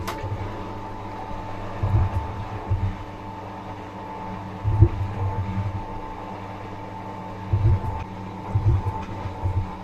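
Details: Fisher & Paykel washer after new bearings and seal fitted: steady motor hum with dull clunks every few seconds but no spin; new seal too tight on shaft, rotor position sensor needs drum turned by hand to start.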